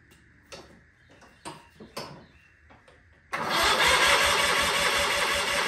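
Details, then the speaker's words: Sears Craftsman FF24 tractor engine: handling clicks, then steady rhythmic cranking churn that never catches; fuel reaching the carburetor but no spark, points suspected. "um and then I started realizing that maybe we're not getting spark so that's when I will continue with you now"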